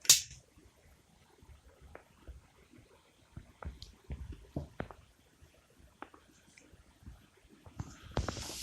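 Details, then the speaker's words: Satellite TV receiver after replacing the swollen input capacitor in the hot side of its power supply, which had caused whining and on/off picture: near silence with scattered clicks, no power supply whine remains. "как слышим еще раз приближу шума никакого нет"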